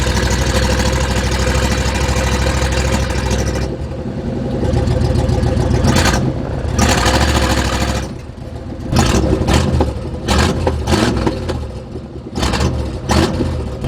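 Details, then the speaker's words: 1976 GMC Vandura 3500 RV motorhome V8 after contact work and oil change, warming up; big V8 idling and revving unevenly, beat stumbling and dropping out now and then; still running rough and sputtering; cause not pinned down. "But if you have an ear for engines, you'll know that it's still running rough. Quite rough. You've heard it sputter."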